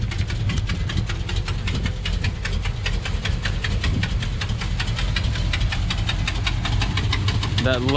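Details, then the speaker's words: Modified 1964 Dodge Polara V8 at low idle: deep, loping, uneven beat that sounds close to stalling yet keeps running; that is just how its hot cam is set; normal. "low idle is what I was talking about, where it sounds like it's almost about to stall out, but sure enough, that's just how that cam is set."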